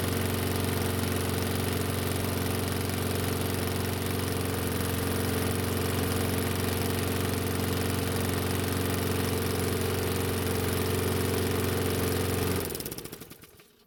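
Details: Toro mower, warm (block about 110°F, carb 95°F), no air filter on carb, choke partly closed, restart after few pulls: steady even single-cylinder putter with no misses or knocks, clean shutdown; runs fine choked or fully open.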